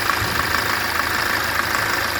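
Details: 2006 Toyota Avensis 2.0 D4-D diesel with coolant loss and power loss: rough, uneven idle clatter with irregular sharp ticks; blown head gasket.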